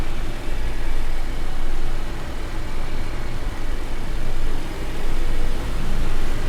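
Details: Car wheel after cleaning wheel and disc faces with brake cleaner and refitting with nuts tightened in star pattern: steady road rumble swelling and fading with speed, earlier clicking gone.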